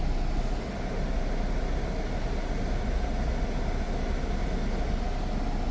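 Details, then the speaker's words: Jeep Cherokee AC after recharging refrigerant to exact 567 g (had only about 200 g): steady even engine and blower rumble with no rattle or grind when AC engages; earlier noise gone, system sounds normal. "yo creo que va a ser eso porque ahorita ya no se ha escuchado nada"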